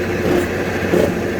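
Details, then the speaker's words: Toyota 4Runner on a lift with wheels spinning; steady rough rumble and droning growl from the right rear axle bearing. Differential and pinion sound normal by stethoscope, and carrier bearings were first suspected. Rear axle bearing growl. "That's all coming from the right axle bearing in the rear."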